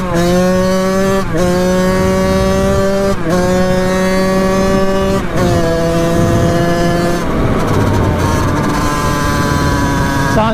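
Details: 1989 Kawasaki KX80 big bore two-stroke, warmed up after pilot jet changes, on a riding test run. Crisp note climbs cleanly through gear changes, dip at each shift; pulls healthy, though coolant leaks around the head, needing a new head gasket.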